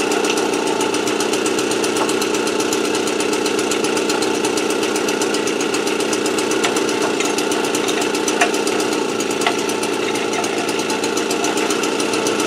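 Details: AV 89 two-stroke with an Ersal 70cc kit, after ignition repair and a correct-thickness head gasket, warming up before hot retorque of head and exhaust. Fast, even buzz at a steady pitch with no misfires or knocks; runs cleanly.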